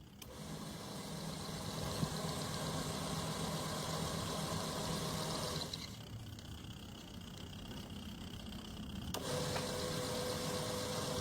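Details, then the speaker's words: Automatic washing machine rewired to manual with a mechanical timer: even motor hum pausing and restarting as it switches direction every few seconds, smooth and steady; agitator running normally, wiring correct. "Timer kita hidupkan. Kita lihat dinamo ya, sudah bunyi. Nah, kan jalan. Bolak-balik ya."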